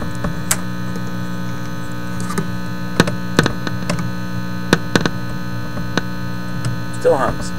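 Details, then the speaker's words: Teletone 67-600E record player amplifier, warmed up: steady low mains hum identical in both channels, not volume dependent, with a few light clicks. "there Comes The Hum coming out of this Channel and now the other channel that sounds exactly the same"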